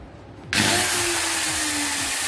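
Motor spins up sharply to a high, steady whine and holds speed evenly with no grinding or rattle; grinder runs healthy.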